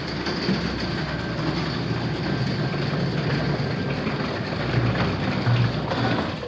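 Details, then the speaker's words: 1950s Dallas garage wooden overhead door opener running: steady low motor hum with a light rhythmic chain rattle, no grinding, straining or catching; operates normally. "let's turn this thing on see what it sounds like yay that sounds"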